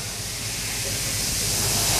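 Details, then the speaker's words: 1914 Snow gas compression engine, natural gas compressor, starting: accumulator pre-charged with gas, dog clutch engaged, compressed air rushes in, hiss building over two seconds turning it over. "Engage the dog clutch. We start the engine with compressed air."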